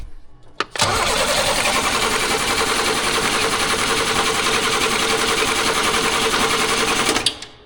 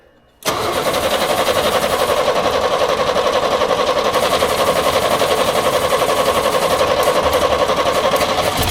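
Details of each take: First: 1938 International pickup engine cranks about six seconds with a steady fast starter and even beats, but never fires: crank, no start. Spark and fuel are present; no compression is suspected, with something stuck, unconfirmed. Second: 1938 International pickup, budget-build project, starting after earlier failed attempts (owner guesses he flooded it with too much fuel): engine catches at once and settles into a steady, quiet, even idle with no misfire or knock; runs fine.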